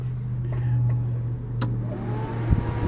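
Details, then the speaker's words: Forwarder cab with two fans, key on and the auxiliary switch turned on: steady low hum at an even pitch with no rattle or surging; both fans running, the apparent electrical fault was just an unknown switch. "But hey, guess what? There's an auxiliary switch right there, and that's what turns the fans on. If you turn the key on,"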